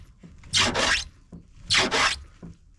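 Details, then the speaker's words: Citroen AX rally car build: tyre rubs the wheel arch after fitting bigger brakes and wheels. Two harsh, hissy scrapes about a second apart, heard on the lower side. "Actually, on the other side, where it's a bit lower, so it's easier to see. I think we're scraping around here."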